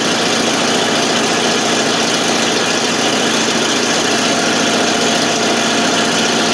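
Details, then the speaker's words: 1988 FMC 6000 with a 5-speed, just started after a long hard start (no fuel was reaching the carb, starting fluid used): loud, rough exhaust rumble at a steady idle with much hiss and no stalling, running on its own. "Now it's running all by itself."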